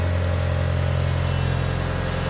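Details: Mitsubishi Evo IX turbo petrol engine idling after fitting a rebuilt Forced Performance green turbo: steady, even low rumble with smooth regular pulse, no knocks or misses; smoke from burning-off copper sealant and grease on the exhaust manifold then stops.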